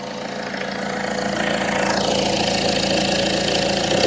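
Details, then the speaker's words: 2002 Citroen Berlingo 2.0 HDi with poor running, EGR valve suspected by a mechanic, after work on the EGR area: diesel clatter climbs smoothly as revs rise and hold, no stumble or missed beats; no misfire, normal revving. "Ignition on. Idling away much as before. That's not misfiring at all."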